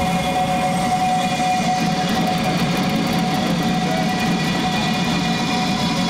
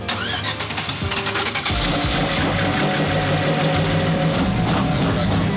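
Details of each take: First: Quad turbo LS-swapped Audi Quattro at LS Fest East 2018, started on a battery: steady even running, smooth low rumble and constant fan rush with both fans on; no misses or knocks. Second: Quad-turbo LS-swapped Audi Quattro with newer LS block and LS9 cam: starter cranks about three turns a second but never catches; no-start because the 58 harness front cam sensor connector is pinned backwards for the 24 sensor; battery running low.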